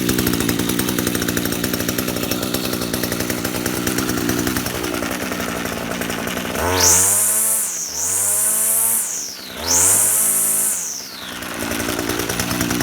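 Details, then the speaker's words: Echo GT-2000 curved-shaft trimmer, serviced with a genuine Zama carburetor, new spark plug and air filter: steady buzzy two-stroke idle, then two quick throttle blips returning cleanly to idle; runs easily, normal. "So we'll start it up, show you how it runs. It runs very easy."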